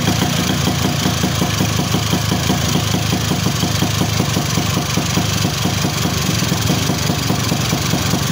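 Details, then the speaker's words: Two-stroke motorcycle after reed valve membrane rebent to seal and glued, fixing constantly wet/flooded spark plug: steady even idle with crisp regular firing beat, no misfire or stumble; normal running. "oke ya teman-teman eh motor udah enak kembali ya jadi tenaganya juga enak nih jadi di Udah Ee udah kedengaran ya jadi dari suaranya juga enak ya lepas gitu kan"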